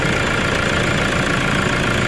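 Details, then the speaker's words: Toyota Hilux 3.0 diesel after turbocharger replacement, air filter housing and intercooler cleaned: steady idle clatter with faint even hiss, the previous loud turbo noise gone; normal idle after repair. "E aí pessoal como parou barulho Aquela aquele burro bem alto Pois então foi trocado essa peça que trocou a turbina dele"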